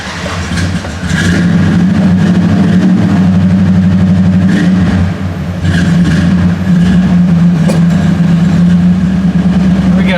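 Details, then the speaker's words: 1970 Dodge Coronet 500 convertible, 383 big block, after a no-start from a battery drained by a faulty brake light switch; it catches quickly and settles into a deep, steady, even rumble with no knocks or misses, a healthy idle, alternator charging. "starts right up it's running fine looks like the alternator's charging"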